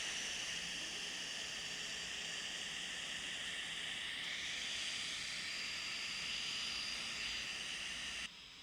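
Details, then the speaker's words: Kandao 8K 360 Pocket camera powered on but not recording: a steady airy whoosh with a thin high whistle, cutting off sharply; the cooling fans run loud and oddly stop once recording begins. "Deci când pornim camera pornesc ventilatoarele și se aud destul de tare și e ciudat când pornim înregistrarea se opresc ventilatoarele cu toate că ar trebui să fie invers că atunci se încălzește camera când e pornită"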